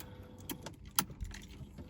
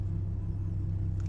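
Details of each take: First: BMW E36 M43 with idle trouble, idle control valve returned to its original position: the starter cranks and the engine catches, revs briefly, sags and dies within seconds. The engine stalls and won't idle. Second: BMW E36 M43 with the idle control valve set to the owner's marked position, engine still cold: a deep, steady low rumble with no hunting, dipping slightly when the AC engages. Normal, stable idle.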